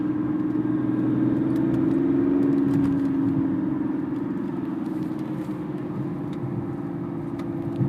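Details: BMW 330d E46 diesel running: steady mid-pitched hum over the rumble that sags slightly after a few seconds; odd engine noise, source unclear.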